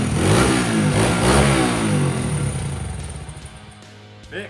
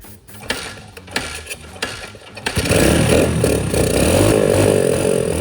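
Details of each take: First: Dirt bike recovered from a lake, after carburetor cleaning/repair: it revs up crisply and settles back cleanly with a strong, even buzz and no misfire or bogging, running as good as new. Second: Dirt bike recovered from a lake, after draining water-contaminated oil and fuel and refilling: catches after a few failed kicks and runs unevenly with a wavering, sputtering note, not good enough to ride; rough running after water ingress.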